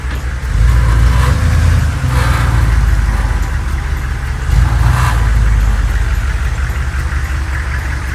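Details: Humvee diesel driven after both loose bolts were tightened, checking whether an earlier noise returns; deep diesel drone swells with two pulls away, no rattle or clatter on take-off, drivetrain sounds healthy: normal running.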